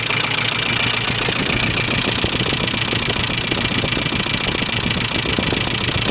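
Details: 1985 Subaru Leone EA82 engine at idle: a regular clattering knock of about three or four per second stands out above the engine; owner asks what exactly is knocking, cause unidentified.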